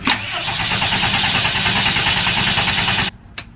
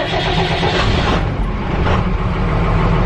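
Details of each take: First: Diesel step van cranking after a fuel filter replacement, fuel heater cycled first: steady cranking at about three turns a second, no firing. No leaks seen; owner suspects the fuel must still be pumped through the dry filter. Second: Diesel step van started after flipping the master cutoff switch and waiting about 15 seconds for the fuel light, in neutral, during wiring troubleshooting. It catches promptly into an even low rumble; a clean, healthy start.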